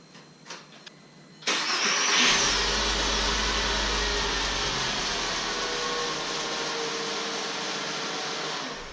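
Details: VW Jetta MK5 2.5L manual, after replacing a starter ruined by a vacuum pump oil leak: short starter burst, engine fires at once and holds a steady, even idle, no starter grinding.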